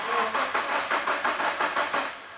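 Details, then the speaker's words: Subaru with freshly rebuilt STI EJ20 short block, first crank after reinstall to check oil pressure before starting: even starter chugging at about four beats a second for two seconds, no knocks or scraping; healthy crank. "we can actually start it and run it fingers crossed brand new STI block it'll be sweet boy it'll be sweet it will be sweet just crank it see what it does"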